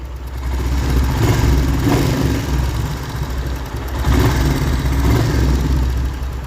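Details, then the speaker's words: Royal Enfield Hunter 350 single at idle after tappet (valve clearance) setting at the third service; steady deep even thump, no top-end ticking, described as completely silent; normal idle. "तो अभी ये Hunter complete हो चुकी है। तो आइए seat की आवाज सुनाते हैं आपको। आवाज चेक करिए इसकी।"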